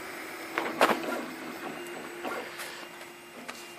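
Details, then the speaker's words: Home-built RepRap 3D printer with Nema steppers from old photocopiers and power supplies moved away to cut noise: quiet stepper whirs and short tonal buzzes as the head moves, no grinding or skipped steps; printing normally. "Et on peut l'entendre, c'est bruyant."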